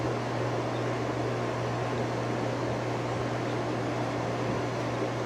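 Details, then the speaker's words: Outdoor fan, first run since last year after a cold winter: steady low electrical hum under the airflow at low speed, more hum than at medium; motor humming. "There's medium. It's got a little bit of a hum, which I don't know if you can hear. And low has a little bit more of a hum."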